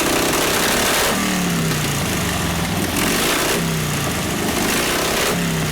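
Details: 1952 Harley 74ci panhead after top-end rebuild, rebuilt Linkert carb, hot, full choke: loose, uneven V-twin lope, revving note stumbling as it falls back each time; carburetor running lean.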